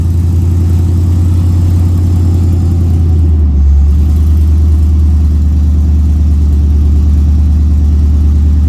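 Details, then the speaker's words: LS-swapped OBS truck, cold start after the plugs were checked for a misfire. A steady, fast cold idle with even firing and no stumbles or misses; it sounds much better than before: normal idle. "it sounds way better see how this stuff is working that's not bad cold start"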